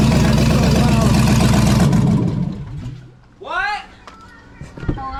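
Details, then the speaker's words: 2007 Chevy Tahoe with a rebuilt 5.3 V8 and BTR Truck Torque cam, first start on open headers with no exhaust: loud, choppy idle with a lumpy cam lope, steady and even; normal idle. "dude that was so loud it sounds so good it sounded good but also too loud it needs the exhaust"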